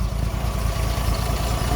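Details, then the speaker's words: Unrestored 28k-mile 1969 Toyota FJ40 six, stone cold, no choke, in neutral, after carb rebuild, valve adjustment and cracked exhaust manifold repair: low, steady, even idle with no misses, knocks or exhaust ticking; normal cold idle. "It's cold. This hums along."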